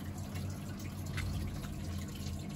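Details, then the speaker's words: Street-found Baumatic BDI1485D4E integrated washer dryer (8 kg wash/5 kg dry) during a test wash: steady low drain-pump hum with water trickling and dripping through, even and unbroken; draining normally, so not plugged. "and it is draining so it's not pluged"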